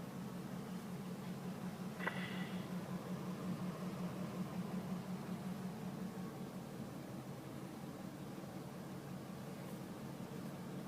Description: The truck is making a sound as if someone is knocking from under the dashboard.